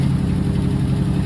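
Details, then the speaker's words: Old V8, unrun since 2004, just started on ether and old gas: deep, steady burble with even beat, no knocks or misses; idles smoothly, though some blow-by noted afterward. "It's running like a champ, bro. That's crazy. I can't believe it's running on that gas."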